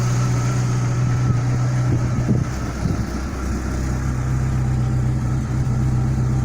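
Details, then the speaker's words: Renault Clio 172 Phase 2 after a head rebuild with a new gasket and 16 new valves, idling in neutral: a steady, even low idle with a smooth constant hum and no knocks, ticks or misfires. The engine sounds healthy and settled. "So it goes exceptionally well. Sounds like really good. I'm very pleased with it."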